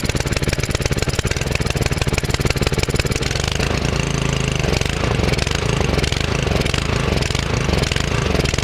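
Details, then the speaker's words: Belle 150 petrol cement mixer with Honda G100 engine, standing for years and wouldn't start, after repair with carburettor bolts slightly loose: single-cylinder catches and settles into quick even putter, no misfires or surging; normal running. "right well it works which it didn't do before"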